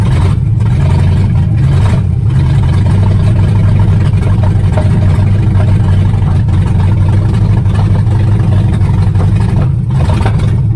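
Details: 1978 Chevrolet Nova V8 (305 or 350), abandoned 25 years, swapped carburettor, no exhaust fitted: very loud deep open rumble with uneven pulsing and dips; runs rough, cause unclear.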